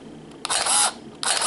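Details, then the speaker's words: Canon EOS Rebel S 35mm film SLR body in manual mode at 1/1000 s: two crisp shutter releases, each with a short even motor whir and matching timing, the same with or without light; the shutter fires cleanly. "doesn't matter so much everything practically and in the pure sound we hear that it is the same with or without light anyway it will be the same speed because we are in manual mode and one is already configuring it from here"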